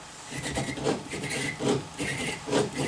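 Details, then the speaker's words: Brose S/T e-bike motor with the belt removed, pulley spun by hand: gritty, dry rasping surges about once a second from worn motor bearings; nearly every bearing needed replacing. "we can spin this pulley wheel and you'll hear that uh this motor has got a few problems"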